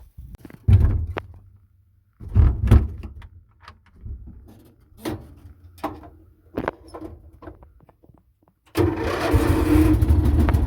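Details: Meec SN210 snowblower, previously sputtering and dying on its own, after fuel tank screw fix: several uneven pulls, then catches and holds a steady, even drone; starts and runs normally.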